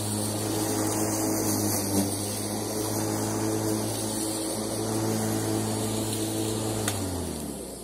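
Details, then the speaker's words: Bosch ARM3400 lawn mower after motor bearing replacement: steady even motor hum, constant low tone, no grinding or rattle, then smooth spin-down; runs healthy after repair. "so let's try it out then, see if it works. Well, hey, sounds good."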